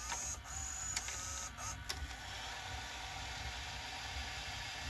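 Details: Emerson VCR765 VCR (Orion-made, about 1990), after greasing the guide rails and oiling a top bearing: tape deck fast-forwards with a soft, steady whir, no squeal or grinding; mechanism now smooth and quiet.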